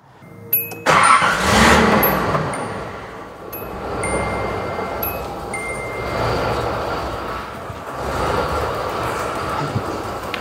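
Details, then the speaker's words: 1986 Nissan 300ZX Z31 first start after repairs, on jack stands with no idle control parts fitted: engine catches into an uneven idle that keeps swelling and sagging. "Idle idle is super wonky because I don't have any of the idle controls."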